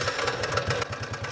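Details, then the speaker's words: 2004 Honda Rubicon 500, 347 hours, 886 miles, just started: sharp, regular ticking knock over a fast single-cylinder idle. Smells of coolant and coolant is dripping; transmission works fine; cause unknown. "As you can hear, that does not sound good at all. And when I had it running, I smell coolant. Um, yeah, it doesn't sound good at all."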